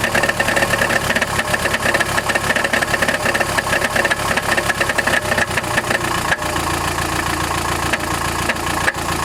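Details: Chrysler Grand Voyager 2.8 CRD diesel at idle: fast harsh metallic rattle loudest around the bell housing, not belt, power steering or balance shaft; cause was a badly cracked flexplate between crankshaft and torque converter.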